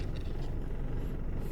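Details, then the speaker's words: 1997 Nissan Tsuru III after fixing hard, noisy gear changes: low even engine rumble while driving, no grinding, clunking or whining. "este coche se ve muy feito pero ahí está el secreto de estar bien para viajar nada de ruido"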